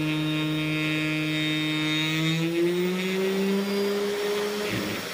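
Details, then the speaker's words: 500 W air-cooled ER11 CNC spindle brought to full speed: smooth whine rising and settling with fan airflow; the tool barely warms up; running healthy. "je suis à fond. Ça fait une puissance sur là. Là, l'outil, il ne chauffe quasiment pas."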